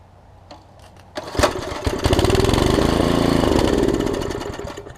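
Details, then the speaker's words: Small single-cylinder, full tank: catches on starter fluid with a rough popping run for a few seconds, then fades; runs only on starter fluid, owner suspects a bad diaphragm. "yeah so that's great kick right over which is awesome"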